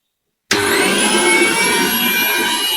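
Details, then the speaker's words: Household blender test-run after overload repair: motor starts cleanly into a steady, even high-pitched whir with no catching or labouring, repair successful. "ඔයාලට පේනවා දැන් blend එක වැඩ කරනවා. ඒ කියන්නේ අපි කරපු අලුත් ඇඩියාව සාර්ථකයි."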